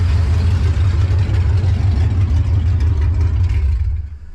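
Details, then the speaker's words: LS V8-swapped Nissan Patrol after the rear main seal repair and gearbox refit, running about 10 minutes with no exhaust fitted. A deep, loud, burbling steady idle with even firing until shutdown; the healthy engine is then checked for oil leaks. "oh doesn't that sound good she's back alive been running it for about 10 minutes now"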